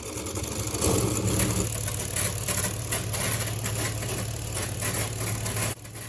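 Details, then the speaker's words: Homemade model engine during a 24-hour nonstop test: uneven, limping beat about three times a second with heavy shake. Caused by a shifted gear mount, not the piston; the mount is being reinforced. "dan ya suara seperti ini jadi tadi dudukan gir Gue tambahin lagi biar enggak terlalu pincang karena enggak bermasalah dari pistonnya"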